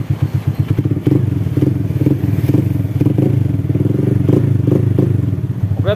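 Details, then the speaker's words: Honda Astrea/Supra-type single after valve adjustment, steady idle with light regular clicking about twice a second: noise from the hand (manual) clutch conversion, not the valves; clutch clatter. "ini suara yang klek klek klek KK klek itu karena motor ini sudah menggunakan kopling tangan atau kopling manual jadi suaranya agak sedikit berisik di koplingnya"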